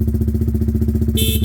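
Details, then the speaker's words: Honda CBR125 streetfighter project idling during pre-MOT checks: a loud, clear, steady horn tone sounds in two even blasts over the engine. The horn works properly. "That's it. Oh, that's loud."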